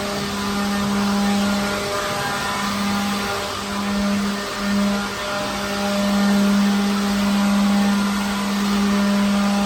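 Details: Second-hand leaf blower clearing dirt from a truck trailer. Even continuous mid-pitched whir that holds steady apart from brief dips; motor runs smoothly; normal running.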